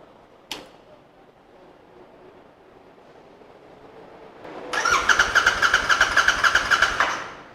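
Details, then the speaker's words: Royal Enfield Continental GT 650 with the fuel pump relay removed; starter churns about four beats a second for two seconds but the engine never catches because the fuel pump does not prime; crank, no start. "as you witness there it would crank but it would not start because the fuel pump didn't prime because the relay was out"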